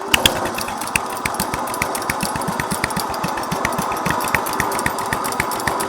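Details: Restored 1963 Bolens Husky 600 lawn tractor single-cylinder engine, started up: even, steady beat with crisp regular exhaust pulses, no misses or knocks; running healthy.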